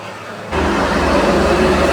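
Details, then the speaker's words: Yamaha Mio Sporty scooter revving up with a rough, hissing rasp from the CVT belt drive; cause found on disassembly: a loose clutch pulley rubbing. "Keluhannya suaranya kasar ya, bunyi berdesis ya seperti yang tadi sudah di awal itu bunyinya seperti itu."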